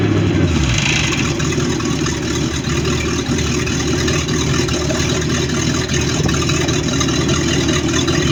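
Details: Baja boat with MerCruiser 5.7 V8 running at steady speed: heavy rumble with a rough, uneven knock under the exhaust note, source not pinned down; engine knocking.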